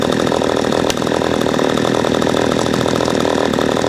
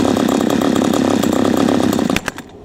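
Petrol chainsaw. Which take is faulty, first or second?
second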